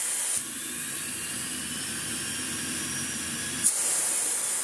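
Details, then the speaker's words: Vorwerk Kobold VK150 vacuum, bought cheap secondhand, running; after a click the motor settles into a smooth, steady airy whoosh with no rattle or wavering, runs beautifully. "so yeah the whole thing runs absolutely beautiful"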